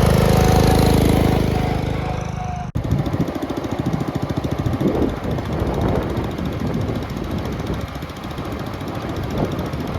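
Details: 1962 Bolens Ride-a-matic garden tractor, test-driven outside: after a short unrelated noise, a quick even putter of about four beats a second rises and eases with throttle; healthy, runs very well.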